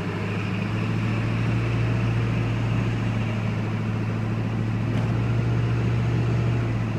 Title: 7.3 turbo makes loud noise when cold, any ideas